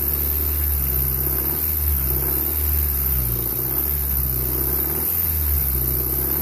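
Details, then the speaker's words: 1994 Honda Accord 2.2 VTEC blipped repeatedly: a dull knock rides on each rise in revs; owner suspects rod knock from bad rod bearings slapping the crankshaft, unconfirmed. "got a 1994 Honda Accord 2.2 VTEC rod knock noise."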